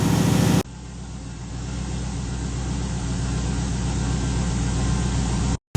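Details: RX-7 (990 HP) after cracked-piston rebuild, with throttle blade and idle adjusted down: steady, even idle with a smooth low thrum and no knocks or misses; normal idle, a little blow-by left, far better than with the broken piston.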